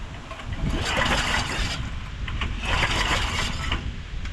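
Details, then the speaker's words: 1991 DR Field and Brush mower, carburettor removed for cleaning: two long pull-cord bursts of uneven compression strokes with no firing; turns over but won't start, spark being checked, cause not confirmed. "I do not see Spark oh I feel it we got a little put a little spray down the spark plug hole pop all right one pop"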